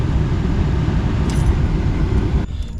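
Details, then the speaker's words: 1991 Chevy C1500 truck after replacing the bad AC blower motor, key on, engine off, fan on: smooth even rush of air with low steady rumble, no squeal or ticking; new blower silent as intended. "Alright, the fan's on. Absolute silent other than the wind blowing. So that's what we wanted."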